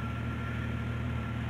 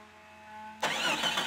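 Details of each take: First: 1990-1999 Jeep Cherokee six-cylinder just after replacing cracked ignition coil (old coil gave weak orange spark): smooth steady idle, even low rumble, no stumbles or misfires; runs much better than before. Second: 1990s Jeep Cherokee starter cranks steadily, about two and a half pulses a second, for nearly four seconds without catching; spark test showed weak orange spark, blamed on a cracked ignition coil, before coil replacement.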